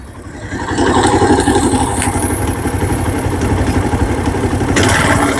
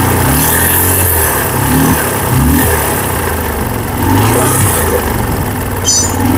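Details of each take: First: TVS Apache RTR 150 after head work, previously serviced three times in two months with an engine sound problem: steady quick idle, about four pulses a second, even with light valve clatter; sounds healthy. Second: Apache RTR 150 single-cylinder bike, engine serviced three times in two months without fixing the noise: rough, uneven mechanical rumble over the exhaust note from worn engine bearings.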